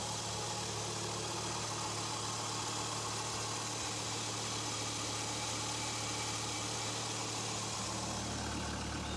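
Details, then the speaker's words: 1993 Dodge Viper V10, cold start, engine still cold, mic close to driver's then passenger side: smooth, even idle with steady low rumble and intake rush, no ticks or knocks; healthy. "getting up close you can hear there are no mechanical noises or other issues just that the air going in is the only sound you really hear"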